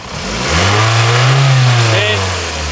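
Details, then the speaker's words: Toyota RAV4 with cable-driven throttle, after replacing the faulty fuel pressure regulator that caused low power: engine revs up cleanly and falls back smoothly, even tone, revving higher than before; now healthy. "We can hear the difference in the acceleration. This engine didn't used to rev this high."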